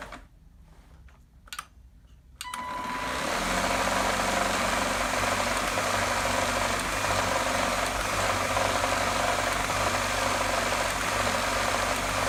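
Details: Gtech AirRam K9 cordless vacuum with a faulty switch, after earlier battery trouble: the switch clicks, then a steady motor hum with a quick rough knock about four per second, seeming to come from inside the body. Worn or failing motor.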